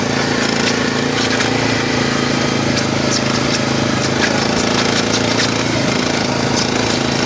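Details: SF Moto 500 motorcycle engine: steady drone with irregular knock about three times a second and gritty grind underneath; internal engine knock and grinding, cause unknown.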